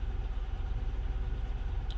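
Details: 1999 Buick Century at idle just after start, hesitating and wanting to shut off: low, uneven, pulsing lumpy idle; scanner shows MAF airflow falling from 7.64 to 5.96 g/s, occasional sputter and jerk; owner suspects a bad mass airflow sensor, not confirmed.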